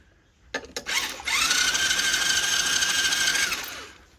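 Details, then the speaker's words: Chinese 110cc ATV being rebuilt, battery charged, spark plug out, starter jumped at the solenoid with a screwdriver: fast, even whirring crank at steady pitch; engine turns over freely, though no spark yet. "so that sounds good it's turning over now"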